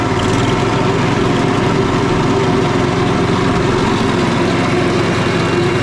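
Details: Small four-stroke engine running after a new spark plug and service, with a little too much smoke, possibly from overfilled oil: constant, steady speed with an even drone and no surging or missing.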